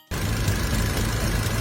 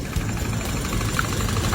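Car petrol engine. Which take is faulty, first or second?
second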